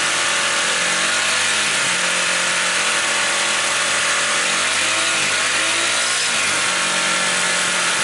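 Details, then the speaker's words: Honda CB150R after fixing no-start (fuel pump not humming, no spark): even, buzzy single-cylinder idle with a steady beat, no knocks or misses; running healthy, battery 13.2 V engine off, charging normal. "Coba kita hidupkan motornya. Ini sudah hidup motornya."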